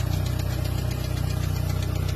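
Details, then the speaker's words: Engine idle with rapid, even hollow knocking throughout; not valve adjustment, head removed and excess piston clearance found in all four cylinders, worn skirts; piston slap. "Então, todo esse barulho que estava fazendo no motor era por conta dessa batida de saia."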